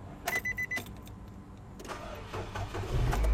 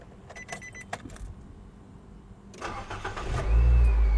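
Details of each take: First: A car crank test on an old battery gives a few clicks, then a slow, uneven, dragging crank before firing. Cranking voltage drops to 6.06 V, below the 9.6 V threshold, so the battery is bad and must be replaced. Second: A car starting on a newly fitted Panasonic-made battery at 12.49 V (83%), after the key was left on 10 seconds: a few clicks, a brief crank, then a quick catch into a strong steady idle. Cranking voltage is 10.53 V and charging 14.38 V.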